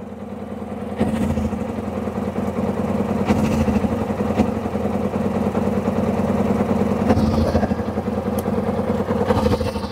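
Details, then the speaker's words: Kawasaki ZZR600 after adjusting the idle screw: an uneven, lumpy idle with occasional stumbles and erratic revs on the tachometer. A misfire, owner suspects it is running on three cylinders and plans new coils. "So, we've got it idling, but I think it's missing. It sounds like it's misfiring ever so slightly. Are you only running on 3 cylinders?"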